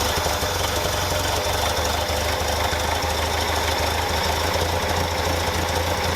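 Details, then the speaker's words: 1964 International Scout 80 four-cylinder after ground rework and switch to electric fuel pump: steady, even idle with regular low beat, no misses or stumbles; engine running smoothly. "I actually really like that. I really like that. It sounds good."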